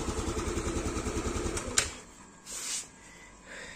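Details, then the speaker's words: Scooter with manual cam chain tensioner after over a year of use, tensioner bolt recently retightened for a slack cam chain: steady, even idle with no top-end ticking or chain rattle; quiet, normal engine. "kalau sekarang dinyalain ini lagi normal ya suara mesin enggak berisik nih saya nyalain dulu motornya"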